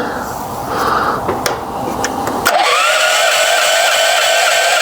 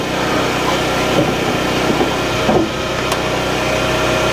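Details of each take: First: Portable generator used with a home manual transfer switch, choke on: the starter whines and cranks for about four seconds with no firing, because the fuel valve was shut. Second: Portable generator feeding the home through a 10-circuit manual transfer switch, running with basement lights then refrigerator and microwave switched on; steady engine drone and hum holds speed as the loads come on, running smoothly under household load.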